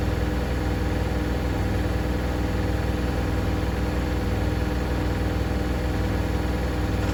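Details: Hoover DynamicNext DXOA410C3 10 kg 1400-spin washing machine, reported loud on spin: fast constant rattle over deep spin rumble, believed caused by a £1 coin stuck under the heater element.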